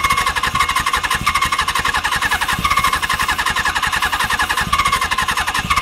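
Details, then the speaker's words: Suzuki GS750 seized and last run 41 years ago, first start after cleaning the points: catches and runs in ragged, uneven bursts, popping and stumbling with no steady idle. "okay so that right there guys was a first start and a fire pretty cool huh"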